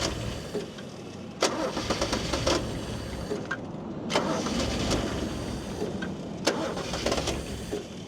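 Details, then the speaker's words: Toyota Cressida MX32, long-sitting wrecker car, air filter just flipped to test its orientation: uneven cranking with scattered knocks and bursts that never settle; the engine struggles to start, cause suspected, not confirmed. "now it's having trouble huh now it's having trouble trying to start now"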